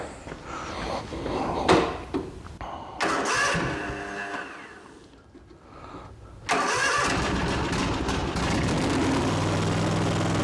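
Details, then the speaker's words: Ariens mower with Kawasaki FR691V engine, cranked several times after a fuel filter change to fill the filter. Short cranking bursts with pauses, then it catches and settles into a steady, even idle: a normal start. "we'll uh we'll crank this a few times and get some fuel in that filter real quick hold your ears"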